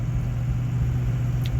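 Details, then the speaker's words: 2004 Ford Super Duty on a test drive after the failed lower shock bushings were replaced (Grade 8 bolts, stainless sleeves, Energy Suspension bushings, grease fittings): steady low cab rumble with the floorboard clunk over bumps completely gone. "but this thing drives so much more quieter I mean that floorboard clunk is completely gone now so"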